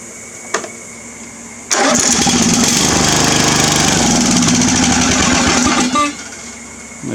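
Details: Free Craftsman riding mower fitted with a starter saved from another mower: a quick crank, then the engine catches at once and runs loud and steady for about four seconds.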